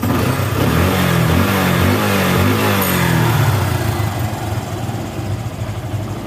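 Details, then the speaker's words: Yamaha Bison motorcycle after plugging the head-to-emission-device hose and the intake manifold hose: clean rev climbing and settling smoothly with no popping on throttle close; deceleration backfire fixed, response good. "dan sembuh ya Enggak nembak-nembak [Tepuk tangan] lagi dan cr-nya tambah [Tepuk tangan] enak dan digas pun responsif teman-teman"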